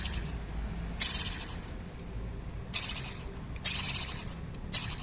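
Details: Short hissing whirs rising over the idle each time the clutch pedal is pressed, from the clutch release bearing against the pressure plate; worn clutch release bearing.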